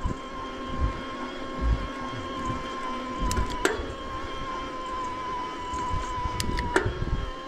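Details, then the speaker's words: Himiway Rambler Premium e-bike with Bafang M600 mid-drive motor, climbing a hill while pedaling. A thin steady whine rises slightly in pitch in lower gears. Normal motor gear whine. "So you definitely hear that. And as I get into a lower gear where I'm spinning those cranks more, you hear that whine just a little bit more on the high pitch side, but not bad."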